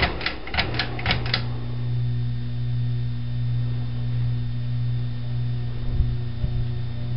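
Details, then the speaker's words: 1987 Air Cool 52-inch red ceiling fan on medium speed after a new capacitor: a few light clicks, then a steady low, mild electrical hum from the motor. "I just put a new capacitor in it so it shouldn't hum as much, kind of suppress the hum."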